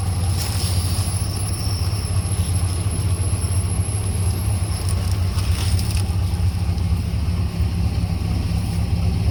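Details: 1982 Chevy Silverado, first start in years after sitting, automatic four-speed with lock-up torque converter: deep, even V8 rumble with a steady low beat and no knocks or misses; runs smoothly and sounds healthy, normal running.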